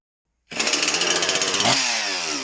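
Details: Husqvarna 346XP chainsaw after cylinder base gasket replacement sealing an air leak, carb high/low settings unchanged, idle speed previously turned down: fires right up, revs crisply, settles to a steady idle; healthy.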